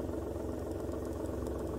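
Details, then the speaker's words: Manual car pulling away in first gear, clutch slowly raised to bite point before adding throttle: steady idle dips and deepens slightly as clutch takes up, no shudder or slip; normal engine note change at bite point. "Bakın motorun sesi değişti. Size ses geliyor mu bilmiyorum. Tam yarı noktasıdır."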